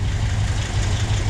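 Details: Porsche 356SC flat-four, freshly rebuilt and first started after install: deep, steady thrum with an even low pulse and no knock or rattle; timing roughly okay.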